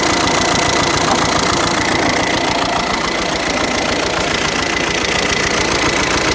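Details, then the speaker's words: Skoda Superb after broken injector bolt removal and re-threading, first start next day: rough, lumpy idle with a regular knock about three and a half times a second, little exhaust flow; a valve timing problem suspected. "sounds a little bit mocky and i can hear some i don't know hear some sort of noise going on first of all i thought it's like sound like a bit of a vows problem timing problem"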